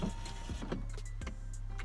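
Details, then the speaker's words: 2001 BMW 530i front power window: motor gives a steady low whir with a few clicks, never labouring or stopping, but glass doesn't move; owner suspects window fell off its track or something obstructs inside the door. "the motor is definitely working but the windows not moving so I'm thinking maybe the window just fell off the track or something's in the way inside the door jamb or something of that nature"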